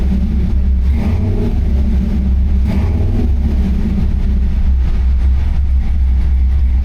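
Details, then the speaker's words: LS3 crate V8 in a C10 on Holley Terminator X EFI during tuning: deep even burble with light throttle blips settling back to smooth steady idle, about 1–2% closed-loop correction. Normal idle. "back to idle nice. About 1 or 2% closed loop correction, sometimes 0."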